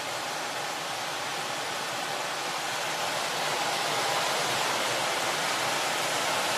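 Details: Home heat-and-AC furnace blower running after the owner's DIY repair of the failed AC: a strong, steady, even hiss of air with no surging or scraping. Healthy; cold air confirmed at the upstairs vents.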